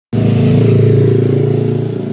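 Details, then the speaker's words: Air compressor starting up: a loud, rapid, even pounding with a rough, rattly edge, very noisy; the worn crankshaft bearing (type 6003) is the cause of the noise. "dan kompresor ini suaranya sangat berisik kelihatan dari suara beiringnya ya ini kita akan coba nah itu Suaranya berisik"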